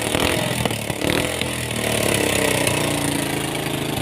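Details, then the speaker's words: Suzuki Thunder 125 with a hard-starting complaint, kick-started after checking the spark plug: a few pops, then a steady, even single-cylinder idle. The cause was a dirty carburetor with water in the fuel. "Ternyata motor saya hidup ya bosku. Hanya permasalahannya pada karburator yang kotor ya bosku, bercampur air."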